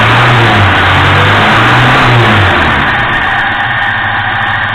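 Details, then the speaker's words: 1973 Moskvich 412 engine revving with a rhythmic knock about four per second. It appears at 2000 rpm when hot and somewhat earlier when cold. Owner suspects a broken valve spring or piston knock; not confirmed. "вот эту подругу стук потому что появляется только при 2000 оборотах это на горячий на холодную чуть раньше"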